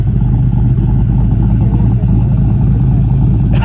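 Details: LS-swapped Lexus IS300 V8 after fixes, following a street test drive; deep steady roar, strong and even with no knocks, misses or rattles; sounds good, everything fixed.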